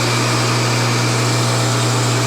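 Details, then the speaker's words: Homemade rotary phase converter from a kit making three-phase power from a single-phase shop panel for dust collection equipment, first start: even low hum, constant pitch, no knocks or rubbing; idler motor starts without hesitation, runs smoothly. "Okay, there wasn't even a hesitation there. Holy crap."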